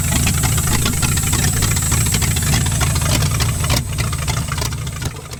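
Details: V8-swapped 1946 Dodge Deluxe on a cold day, running off its own fuel system after the latest fix: the open-header V8 burbles with a firm, even beat and settles smoothly as it winds down. It is running normally.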